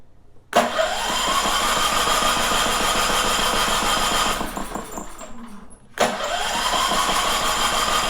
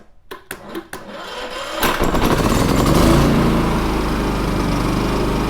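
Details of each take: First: Champion 3400 dual-fuel generator, about two years old, sat almost a year, on gasoline with choke out and electric start: cranks about four strokes a second, twice, never fires. It starts on propane; old gummy gas in the carburetor is suspected. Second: Champion 3400 dual fuel portable generator, about two years old, sat nearly a year, wouldn't start on gas; after carburetor bowl cleaning: a few sharp pull clatters, then catches and runs steadily and evenly with no misses.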